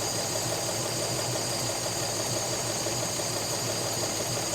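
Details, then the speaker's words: Rover P4 with electronic ignition at idle after mixture adjustments, flame now blue: slightly lumpy, irregular beat that never quite settles. Something is still not right; the cause is unknown and new plugs are being considered. "There's still something not right. And I can't put my finger on it."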